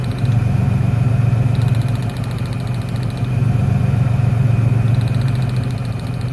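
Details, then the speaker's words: 1996 Ford Ranger 3.0L V6 lacking power, lumpy uneven idle wavering as a plug lead is pulled; the change shows this cylinder is firing during the balance test for a dead cylinder. "al desconectar este cable ese cilindro ya no trabaja se nota un cambio en el motor eso me dice que es el cilindro si está trabajando"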